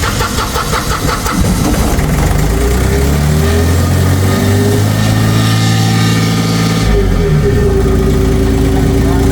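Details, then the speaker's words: Auxiliary diesel engine that wouldn't start despite new solenoid and fuel pump; no fuel because the start-position supply was lost, fixed by bypassing the relay to get 12 V; cranks, catches, steady even idle, rises slightly with revs — normal idle. "naandar na siya. Umandar na mga par."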